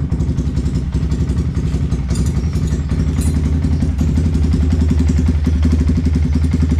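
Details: Yamaha Vixion single-cylinder, previously very rough/noisy engine, after repair and new NGK spark plug: steady, even low idle with quick regular pulse, no knocks or rattles; normal idle.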